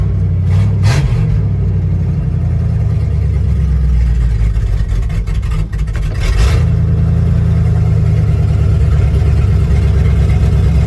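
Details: Abandoned 1955 Buick Roadmaster that sat over 20 years, now revived: deep, even V8 rumble that picks up smoothly on a brief rev and settles back with no knocks or misses; normal running.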